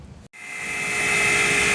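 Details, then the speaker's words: Trane rooftop unit (Unit 2) combustion blower on a heat call: harsh whirring rush with a sharp high whine; the blower is worn and replacement is recommended. "Alright, as you can hear, Unit 2, that combustion blower's not sounding too hot, so I'm going to recommend replacing that."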